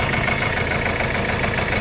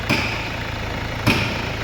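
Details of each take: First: Mercedes-Benz CLS W218 at idle: rough running with a hard, rapid knock on top that follows engine revs on light throttle; bottom-end knock from loose oil pump bolts. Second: Mercedes-Benz CLS W218 diesel after engine repair, fresh oil, metal debris found in the sump: steady even idle, low smooth beat, no repeating knock apart from two isolated thumps; earlier loud knock gone.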